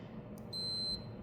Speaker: Another way to know you're on the right setting is if you take your two multimeter leads like this, touch them together, you'll get a beep on your multimeter there.